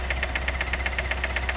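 Sharp, regular ticking knock roughly eight times a second over a quiet idle hum; knocking from the engine, cause not yet pinned down.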